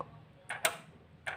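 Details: Kia Carnival diesel injection pump fuel shut-off solenoid, bench-tested with power applied and the body grounded. Crisp sharp clicks as it pulls in and releases a moment later, over a quiet room, so the solenoid is working properly.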